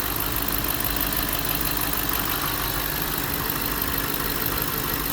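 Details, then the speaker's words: Hemi V8 at about 160,000 miles, ticking complaint: steady idle with a light quick ticking over it from a damaged lifter wearing into its cam lobe; mechanic initially hoped lifters alone would fix it, judging camshaft damage from lifter roller scoring. "If it's all scored and scratched up, then you know the camshaft is damaged. So right now, I think I can just get away with lifters."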